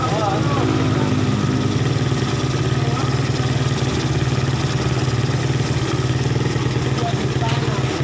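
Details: Suzuki Satria FU after repair of torn vacuum (glued) that caused hesitation, backfiring and no power, with spring trimmed and AC holes plugged: even, steady putter at idle with no misses, pops or backfires; engine running smoothly.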